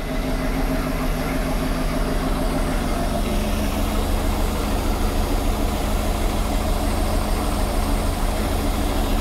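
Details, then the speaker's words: MerCruiser 7.4 L 454 big-block Chevy V8 marine engine running on gas at least two years old; deep, even rumble with no knocks, misses or heavy smoke. "it's not smoking like crazy it sounds good it's even burning old gas"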